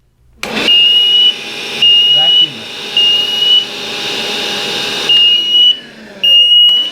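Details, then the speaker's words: Emerald smoke alarm: piercing high beeps in bursts about once a second over a vacuum cleaner's roar; smoke inside the detector caused a false alarm, which went quiet once it was vacuumed and the air cleared. "as soon as i've vacuumed it and cleared the air it's all gone quiet"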